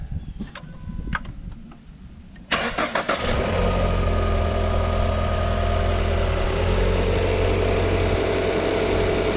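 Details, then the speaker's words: 2014 Ford Fusion 1.5L, after installing a new alternator: cranks briefly, catches cleanly and settles into a steady, even idle with no abnormal alternator noise; previous alternator fault had drained the battery. "Alright, good news so far. I don't hear any noise coming out of, abnormal noises coming out of the alternator anymore."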